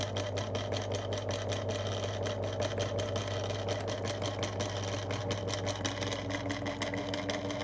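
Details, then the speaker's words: 2002 Lloytron F029 9-inch desk fan on low speed, little grease in the motor: low steady hum with rough, uneven rattling tick; dry, rough-running motor. "So it's low speed and that is terrible."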